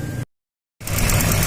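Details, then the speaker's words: 2007 Suzuki XL-7 with evap purge code and P0300/P0301 history, engine idling: light rapid clicking as the evap purge solenoid, viewed under the engine cover, sticks open and passes vacuum. "the engine cover you see the purchase all night you can hear clicking now and there's actually vacuum going through it right now"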